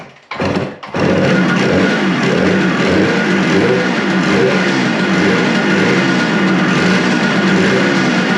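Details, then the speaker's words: Suzuki two-stroke motorcycle after a second carburetor cleaning, started on choke with fuel leaking: it settles to an uneven, lumpy, low rough idle; the owner suspects the throttle adjustments are set too low. "I mean, it's basically sitting here at island. I definitely think that the throttle adjustments are definitely too low."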